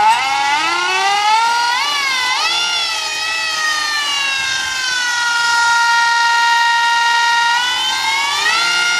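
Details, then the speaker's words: Golden Motor 5kW 48V electric outboard on an Infineon controller, speed limiter on: clean high-pitched whine rising and falling with throttle, then holding steady near the capped speed; healthy, very fast motor. "just so that's pretty much limited you can tell it's a very fast uh W Motor"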